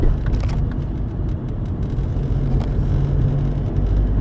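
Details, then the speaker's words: Hyundai Getz after clutch kit replacement and oil pan gasket repair for oil loss and poor pull, test drive: low steady rumble with even road noise, no knocks, slipping or grinding; driving fine. "arkadaşım aracımızı test sürüsünden geldi hiçbir problem yok Araç sahibine teslim ediyoruz"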